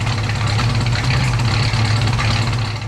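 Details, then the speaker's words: 1970 Plymouth Road Runner V8 revived after sitting over 25 years, after a new fuel pump: deep, steady idle with even low rumble and no knock or misfire; runs smoothly, though an exhaust manifold leak is present. "we put a new fuel pump on and now it HS like a kitten got an exhaust manifold leak over there but that's okay"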